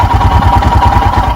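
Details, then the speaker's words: 2021 EFI Royal Enfield Himalayan cold start with choke/idle lever raised: even, steady single-cylinder thump as idle climbs to about 1200 rpm, no knocks or misses; normal cold-start fast idle while warming. "hear the idle sneaking up and there we go we're up around 1200."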